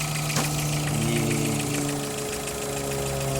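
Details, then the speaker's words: 2011/12 VW Gol G4 with a recently appeared light, fast ticking at idle, about four per second; rockers already replaced; others suggest a camshaft or head cover issue; cause unconfirmed. "recentemente galera apareceu um barulho no motor aí eu vou me incomoda um pouco vai dar para vocês perceberem um barulhinho galera"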